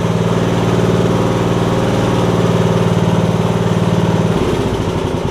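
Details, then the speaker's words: MTD Yard Machines riding mower after a transmission swap, with an unfixed belt that may make some noise: loud, steady engine drone with even firing and no knocks or misses; running as it should. "if everything's working like it should it sounds like so"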